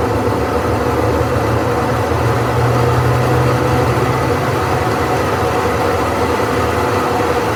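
A loud, steady roar like a jet runs the whole time with a low rumble underneath, the kind worn drum bearings often make. Cause suspected, not confirmed.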